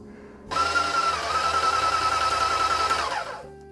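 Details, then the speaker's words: Titan 440i airless paint sprayer pumping water in prime/clean: pump whirs steadily about three seconds, then a faint hiss lingers after it stops, showing a worn, loose-clicking prime valve (part 700-258) not sealing. "if you can hear this noise when it just turns off it sounds like it hisses"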